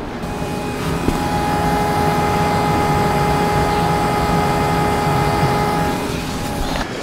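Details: 2007 Hyundai Santa Fe 2.7L with a no-start, fuel pump powered with the relay bypassed: a steady, even electric hum holds for several seconds, then cuts off as the pump runs. Normal fuel pump operation.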